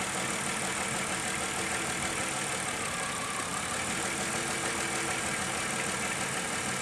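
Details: Car idling during an oxygen sensor test, with propane added to force a rich condition: steady, even idle under a loud, constant rushing whoosh from the cooling fan. Normal idle with the fan running.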